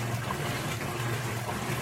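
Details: Electrolux 12 kg top-load washer that made a strange noise during agitation, after replacing a small broken part, on extra-low water level: soft, even swish of water and clothes with a low steady hum, no clicking or banging. Normal agitation.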